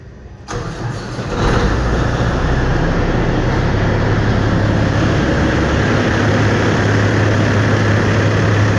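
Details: 2007 Peterbilt 386 semi with a rebuilt Cat 6NZ diesel, fresh in-frame overhaul with no miles on it and 1.6 million miles on the truck, 18-speed: cranks briefly, catches and settles into a steady, even low rumbling idle; normal start, sounds healthy.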